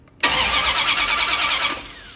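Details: 1972 Dodge D100 with a new solid roller camshaft and Speedmaster heads, first start attempt: the starter spins the engine about a second and a half with no firing; no spark seen at the coil wire.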